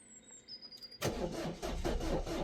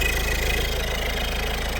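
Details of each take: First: Peugeot/Citroën 1.6 HDi (BHY) with codes P2669 and P2670, on a jump pack: steady starter churning at about one beat per second for five seconds with no firing; cranks but won't start. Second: Peugeot 1.6 HDi (BHY) diesel after thermostat housing replacement fixing P2669/P2670 no-start, warming up to bleed coolant: steady low diesel clatter, even idle, no misses or surging; normal idle.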